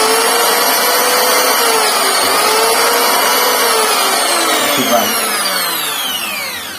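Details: Electric wood planer (mesin serut) that was dead, checked without a multitester: after fixing the rusted, burnt switch, the motor spins up with a steady high whine and even cutter hum, then winds down smoothly; runs normally.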